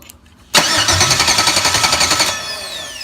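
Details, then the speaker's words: Crank no start with little or no spark: starter turns the engine over evenly, about four beats a second, but it never fires; no fuel is present at the fuel rail, identified as the cause. "as we look here there's no fuel so that's the problem as far as this crank don't start"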